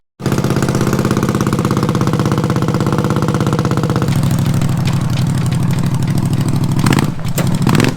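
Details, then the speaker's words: Racing mower with carbs just rebuilt and non-stock lawnmower coil packs, tested under load: steady loud running that roughens, sags and stumbles as load comes on; bogging persists, plenty of fuel, owner suspects spark plug gap or coils rather than carbs. "oh my god no it's still not working under load ah so i'm thinking our problem isn't even a carb problem look how much fuel it's getting"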